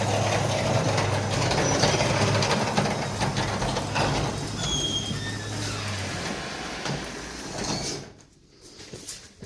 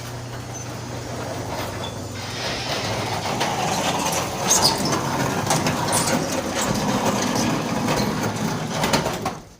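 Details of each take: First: and it sound like metal rubbing on metal? Most likely your rollers were out. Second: Garage door after installing new rollers replacing worn ones that made metal-on-metal noise: steady nine-second travel with even light rolling clatter, stops cleanly, normal quiet operation.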